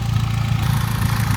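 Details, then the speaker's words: Freshly built engine at idle, ticking that began around 3,300–3,500 miles after the rebuild: a light, quick, even tick from the valve cover riding over a deep steady rumble; cause not yet known. "But y'all hear the the ticking sound coming from the valve cover. I hate it."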